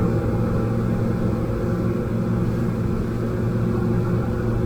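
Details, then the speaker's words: Outboard motor on a boat at cruise, about 5,100–5,200 rpm with trim at the sweet spot: the labouring drone turns into a clean, even, high-revving "zingy" note with no stumbles; normal, efficient cruising run. "So there you go, it picks up that real zingy type sound to it, and I can't explain any other words than zingy."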